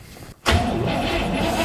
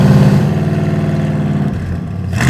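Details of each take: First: Cadillac big V8, last driven in 2009, started after vacuum line and brake check work: it bursts into life and runs with a lumpy, uneven note right after catching. Running rough. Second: Cadillac V8: deep, even burble at idle, then three clean throttle blips that rise and fall smoothly. It runs well and sounds healthy.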